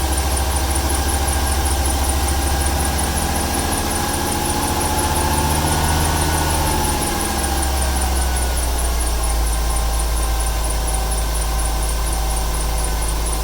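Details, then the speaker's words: 1995 Ford 300 inline-six with over 400k miles, misfiring: a faint steady high squeak with a fast chirp over a low engine rumble. It is a slipping accessory belt, damp after rain the day before or that morning. "Here we go. Squeaky belt, it just rained yesterday. Or this morning."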